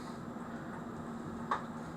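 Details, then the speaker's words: Mechanical, non-electric clock that stopped after being moved, now restarted: a soft, crisp tick from the movement in a quiet room, running normally. "it's off again it's off again can you hear it ticking I don't know if you can hear that or not I can doar it tick in"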